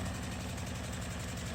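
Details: Small four-stroke air-cooled gasoline engine, cold start in freezing winter with choke on: it runs at a high, steady fast idle, firing evenly with no misses, so it is healthy.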